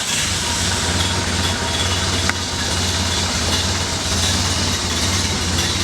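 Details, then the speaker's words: Ford Model A coupe with aftermarket exhaust header and aluminum intake, after fixing lean misfiring on cylinders 1 and 4 and tuning timing and carburetor: catches quickly and settles into a steady, even idle with a smooth low drone; normal. "Good, fire's right up. Just like it should."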